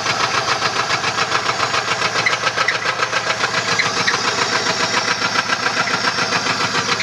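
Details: 1994 Chevrolet LT1 V8 at idle: a steady, hard, even knock about three and a half per second from a bent connecting rod.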